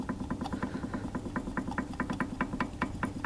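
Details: Newly rebuilt Z20LET in a Vauxhall Zafira GSI had a rattle when cold. With the sump dropped and the engine degreased, the balance shaft, turned by hand, gives quick light metallic rattle-clicks about two per second, identified as the rattle source.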